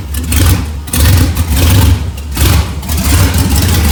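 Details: LS1 V8 truck running, following fire damage and over-fueling issues with a new regulator fitted: deep, even note with several clean throttle blips rising and settling smoothly; normal revving, all eight cylinders firing.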